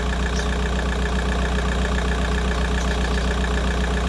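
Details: VW Golf 4 with a coolant leak at the water pipe seal on the cylinder head side, running and checked for leaks: steady, even idle, smooth low hum, no knocks, misses or ticks.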